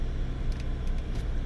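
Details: Porsche Cayenne 9YA after lithium battery repair and fault codes erased, battery-low warning gone: low, even rumble with no misses or knocks at a smooth steady idle; normal idle.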